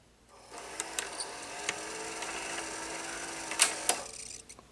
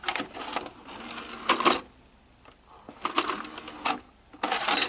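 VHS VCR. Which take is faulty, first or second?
first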